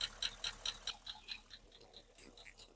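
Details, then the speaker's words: L98 LS V8 Holden Calais, engine idling: sharp light mechanical ticks about four to five a second, traced to the valvetrain area rather than the sump; lifter tick behind the engine knock. "It's definitely from that area. Definitely a mechanical clink from in here."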